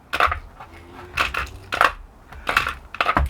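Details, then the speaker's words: Float switch being shaken: loose clicky rattle in short bursts as the float moves freely inside; normal float switch rattle. "you can hear it rattling i'll show you that it does work first"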